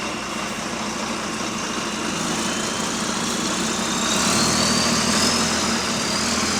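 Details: Diesel bus WVN46 at idle: quick, fairly even hissy puffing about four per second over the rumble, a slight exhaust leak.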